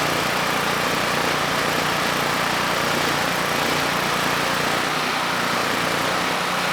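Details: Generac GP5500 generator (low compression) back on its first carburetor with the vacuum leak and fuel leak fixed; started first pull, choke off after about 10 s, under a 1500 W load: even note holding speed, no hunting, running smoothly.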